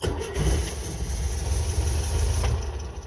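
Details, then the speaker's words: Pinzgauer 6-wheel-drive military truck that sat outside in 116-degree heat, owner suspects water in the fuel; start on choke in neutral: it cranks and catches rough, then runs lumpy and wants to die. A hard start. "Oh, didn't really want to start there, but let's try again."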